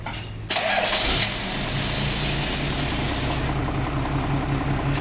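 Engine cranks briefly, fires right up and settles into a steady, even diesel idle with no knocks or misses; sounds healthy.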